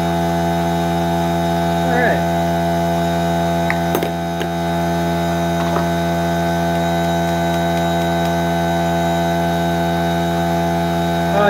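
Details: Air compressor on a chainsaw repair bench kicks on after compressed air is sprayed: steady electric motor hum with even tones, no knocking or surging, running smoothly.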